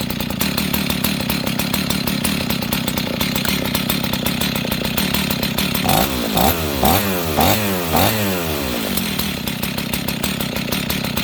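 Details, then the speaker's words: Husqvarna 61 chainsaw with idle being turned down: revs sag and stumble while the chain keeps creeping; the worn clutch rubs on the drum and drags, and the saw needs a new clutch. "Okay, friends, you see that? This thing is barely running, and it's still spinning the chain."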